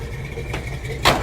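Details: 1966 Chevrolet C10 V8 after the finished 3-inch exhaust install with Flowmaster Delta 50 mufflers, welded headers and collector: deep, even idle burble with a steady low exhaust pulse, no leaks or ticks; a healthy idle.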